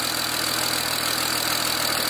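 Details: BMW 335i E90 with N54 engine, after cleaning the loud fuel injectors: smooth, even idle with a light ticking hiss from the injectors and no misses. Normal idle.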